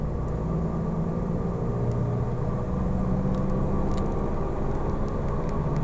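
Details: Falken FK510 tires: constant low droning hum and steady road roar at cruise, no knocks or ticks; tires suspected as the source, not confirmed.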